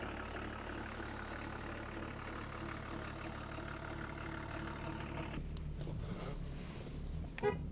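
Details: BMW E34 525tds diesel, self-levelling suspension removed, parked: steady, even diesel clatter at idle with no knocks, misses or hunting; engine running healthy.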